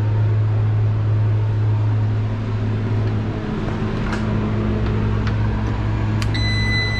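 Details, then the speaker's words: Refrigeration unit with compressor running; steady low compressor hum with no strong fan rush, condenser fan motor trying to spin super slow and barely turning. "alright guys compressors back on I don't know if you guys can tell but the motors trying to spin super slow so let's try to boost it up"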